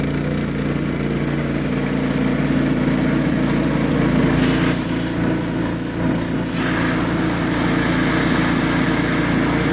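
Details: 5.5 hp Honda engine on air compressor, fresh pump oil, good belt, dirty air cleaner, choked: steady even single-cylinder putter with constant pump drone; runs good, builds air well.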